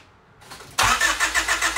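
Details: Honda Civic EK after a D16A engine swap, no-start problem: the starter cranks the engine with an even pulsing rhythm but it never catches; during testing the TPS sensor harness was unplugged with no change, then the MAP sensor harness was unplugged.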